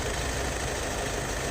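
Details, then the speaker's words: Skoda Superb at 605,000 km idling, heard from under the car: loose, uneven knocking rattle from a worn dual-mass flywheel; replaced together with the clutch set. "Volant sesi şöyle aracın altına doğru ilerleyelim takır takır ses geliyor şu an volantımızda ses mevcut Lakin uzun vadede daha da problem çıkartabilir"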